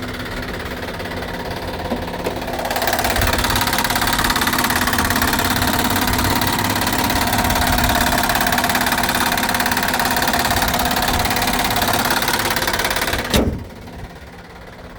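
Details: 2009 Honda Accord, about 183,000 miles, idling with hood open: steady ticking knock about three per second over the idle, louder with hood up; source unknown, possibly lifter or lower-end knock.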